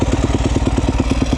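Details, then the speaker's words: 2011 Yamaha YZ250F four-stroke after valve adjustment and carburetor clean, kick-started in neutral without throttle after not starting: steady fast-idle single-cylinder thump, firing cleanly, no misses or knocks; healthy. "oh there you go started right up thing hasn't started in the couple of"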